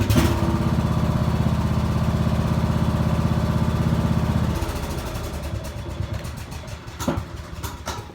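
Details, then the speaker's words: Kohler 19, 600cc 40 hp twin-cylinder tractor engine running on diesel after warming up on gasoline, idle set low: slightly uneven, loping idle; a rough idle from the diesel fuel. "let it run, and it'll have a little bit of a rough idle, but I have my idle down pretty low."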